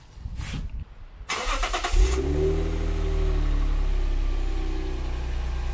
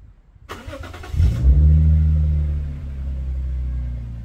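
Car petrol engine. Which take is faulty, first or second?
second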